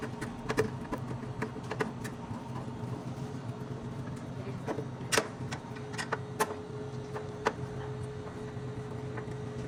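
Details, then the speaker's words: Steady, quiet low hum of a Refrimate beverage display cooler running smoothly with only handling clicks, after replacing the worn, noisy micro fan motor under the compressor area. "bom aí já funcionando o equipamento sem fazer barulho você pode perceber que já não faz barulho"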